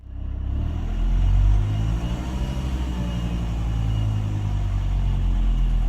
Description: Strange sound on 1k rpm. Volvo v70 2000 2.5tdi 103kw.